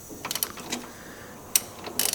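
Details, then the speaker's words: 2016 Mazda CX-3 Skyactiv engine hydrolocked after driving through water: irregular crunching clicks and snaps as the engine is turned by hand, binding and releasing, with a blown-up cylinder one and a bent crankshaft position sensor gear. "I can barely spin the engine like it'll spin a little bit okay okay so I got it kind of loose but then eventually it'll get stuck again and you can see this gear right here is bent that's for the crank shaft position sensor and you can hear all that"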